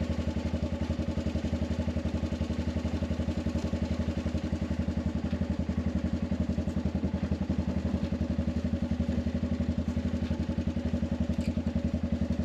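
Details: Arctic Cat 500 ATV outdoors near 0°F, running after no-crank no-start fixed by recharging dead battery: even quick thumping idle about 220 beats a minute, never stumbles; healthy.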